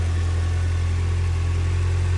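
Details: Nissan Sentra SE-R after rebuild and fuel line fix, no throttle cable yet: steady even low hum, constant pitch, no knocks or misses; normal idle.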